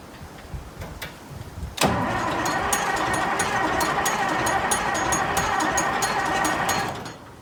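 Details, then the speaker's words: Massey Ferguson 1155 tractor diesel, previously seized, cold day outdoors: starter cranks at a steady rapid beat, about three turns a second for five seconds, never firing; owner attributes no-start to fuel delivery issue. "Okay, so for the moment I'm suffering a fuel delivery issue."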